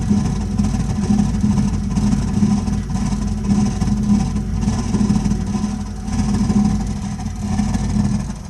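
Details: Burnham Alpine boiler firing with an ongoing problem: a heavy, steady low rumble with a faint hum on top, louder than it should be.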